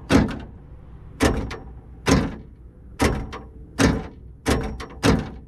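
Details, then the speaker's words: 1978 Chevy El Camino electric door lock after cleaning corrosion from the switch contacts and greasing the lock assembly: seven crisp, even thunks about one per second with no hesitation; the lock now works consistently. "seems to be working consistently now. So looks like it was just electrical connections, corrosion, and some greasing took care of that."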